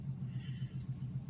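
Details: Fiat Argo idling inside the cabin just after replacing the cut rubber membrane cap that caused a growing kettle-like whistle when accelerating gently uphill; low steady rumble, even pulses, no whistle or hiss, normal idle.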